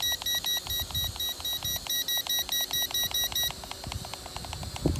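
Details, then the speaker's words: Eachine E511S foldable GPS drone on its first flight on a cold day: rapid, evenly spaced high beeps, about two per second, over faint motor whir warn of low battery as it enters return-to-home. "uh oh is that battery getting low i think my battery's getting low so she's entering her return to home page"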